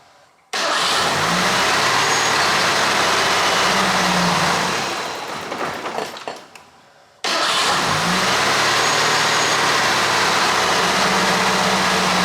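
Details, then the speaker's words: Ford 2.3L four-cylinder after timing belt replacement, base ignition timing purposely set too low before setting to 10 degrees: fires, idles lazily and unevenly, sags and dies, then restarts; rough idle from retarded ignition timing. "I purposely have the ignition timing set too low, so I'm going to rotate the distributor while it's running."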